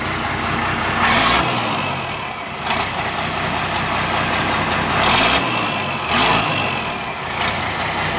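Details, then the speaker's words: 1993 International (Thomas) school bus, older mechanical diesel, given throttle after startup: deep rumble rises and falls with several blips, pulling cleanly with no knocks or misses. Normal revving. "runs really good."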